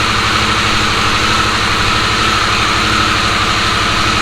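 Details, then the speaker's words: Harley-Davidson Sportster S idling after its key-fob-drained battery was charged and codes cleared: loud, steady idle with an even low pulse and a faint high hiss, no stumbling or knocking; runs healthy. "all right so took the bike for one more try to make sure everything was running perfectly fine I started to buy a Glide three or four times and each time it got even better the starting the switch on starts right up no codes no hesitation like I should"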